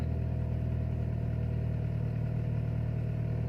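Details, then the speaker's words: Timor DOHC engine on a cold morning start, fast-idling at 1,000–1,500 rpm before reaching operating temperature; a smooth, even low hum with no knocks or misses, so a normal cold fast idle. "RPM bertahan di 1000 lebih Hai Bisa Rp1.500 bisa juga 1200 lebihnya pada saat mesin belum mencapai suhu maksimal RPM akan bertahan di setiap lebih"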